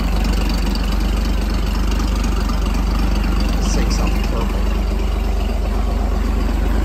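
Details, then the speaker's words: 1957 Chrysler Crown M47 marine 265 cu in flathead six from a 23 ft Lyman, after complete overhaul of a seized engine with donor block and used manifold: steady even low idle rumble, no knocks or misses; runs smoothly and healthy. "But this thing sounds like an absolutely million bucks. You will not find a better idling, better engine than the Chrysler Flathead 6."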